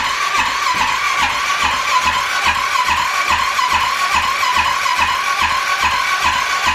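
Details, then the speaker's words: Wrecked Arctic Cat 650 H1 ATV after rebuild and engine refit, first start attempt with fuel present. Starter whirs steadily with even pulses but it never catches; no spark, and the owner suspects a bad ignition module. "we went to go fire it up and we didn't have any sparks so we uh we're fighting some issues there"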